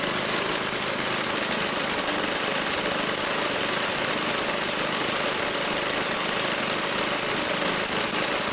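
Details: Magna air compressor with a Briggs & Stratton engine from at least 1983, sat 5 years, first start on the carburetor alone without carb cleaner: fast, steady buzzing exhaust at constant speed, no surging or dropouts, reaching 100 psi; normal running.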